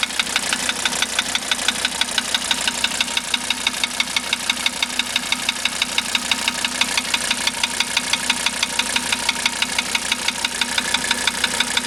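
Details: 1985 Mercedes 300D diesel idling after starter rebuild, valve adjustment, new glow plugs and diesel purge: sharp, even tapping about three times a second, steady throughout; engine knock of unknown origin.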